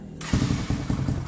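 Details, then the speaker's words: Kawasaki KLX 150 starts on the first try after a pulser modification to gain power, with the carburetor not yet touched. It fires into a quick, brisk thumping idle that sits higher than before. "Dan stasionernya juga agak gedean daripada yang tadi ya."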